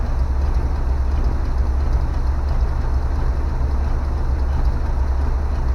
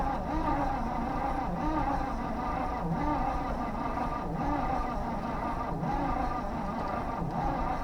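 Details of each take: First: 1970 Chevy C20 dump truck revived after sitting in a field: a deep, steady V8 idle with an even low rumble and no knocks or stumbles; the engine idles fine. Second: 1970 Chevy C20 dump truck, V8, being revived and now getting fuel: sluggish, uneven cranking, each stroke dragging until it quits. Slow cranking from a weakening battery before charging.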